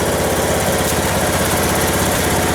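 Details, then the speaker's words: Westwood T1200 garden tractor out of winter storage, started first time on a little choke. Its small single-cylinder engine putters at a steady, even idle with a regular beat and no knocks or misses; sounds healthy. "No, that's it, just started first time, just on a little bit of choke. But it's a sweet little engine."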